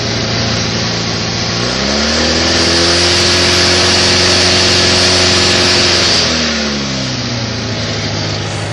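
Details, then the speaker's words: Craftsman GT6000 riding mower, Kohler V-twin, after fuel pump replacement and carb rebuild, governor not hooked up: engine climbs fast to a high steady scream and drops back, sizzling heard; overrevving with governor disconnected, owner fears blowing a head gasket. "Wow. I probably should look into hooking up the governor before I blow a head gasket. Hear it sizzling."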